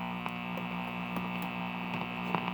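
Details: 1952 Heathkit signal generator after repair, output turned up, set around 90 on the dial; only a steady low mains hum with faint crackles and no test tone, generator probably set on the wrong band. Hum instead of test tone.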